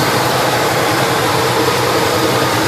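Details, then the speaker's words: 1971 Chevelle 350 V8 with shelf-stored, partly repaired parts: lumpy idle with a steady chuff dropping a beat; number one cylinder dead with a wet plug and zero compression, its valves held open by overtightened rockers. "the number one cylinder the spark plug the spark plug was still wet and all the others were not all the others are firing nicely"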